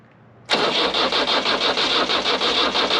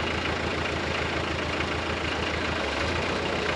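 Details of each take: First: Nissan SD22 2.2L 4-cylinder diesel swapped into an Oliver OC-3 crawler loader, first crank via newly attached starter button: starter spins engine in steady rapid pulses about three a second, smoke appears but it never catches; crank, no start. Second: Nissan SD22 2.2L 4-cylinder diesel swapped into an Oliver OC-3 crawler loader, freshly started, running without coolant: low, steady diesel clatter at slow idle, even firing, no knocks or misses, speed dropping slightly as the idle lever comes down; normal idle.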